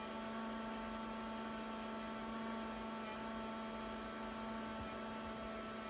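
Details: Non-working 2004 IBM ThinkPad T42 with a cracked screen, booting straight to PXE network boot with no OS on the hard drive: a steady loud hum with several fixed whining tones throughout; an abnormal boot noise, cause unknown.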